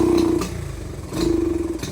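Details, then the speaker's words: Dirt bike: two short throttle blips sound flat and sluggish while idle is smooth. The pilot jet is way too fat (too rich), giving poor throttle response. "But like I said, I already know this is a good sign right here that your pilot is way too fat."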